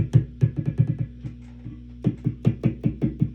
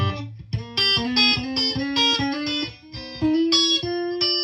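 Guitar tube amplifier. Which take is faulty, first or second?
first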